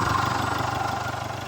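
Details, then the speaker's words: 204DTD diesel after an engine rebuild with a Chinese timing chain kit, a corrected timing chain tensioner and a new sprocket: steady idle with an even low beat and somewhat loud clatter, still not amazing but within the normal range. "so that's what it sounds like now still not amazing but in the range of normal"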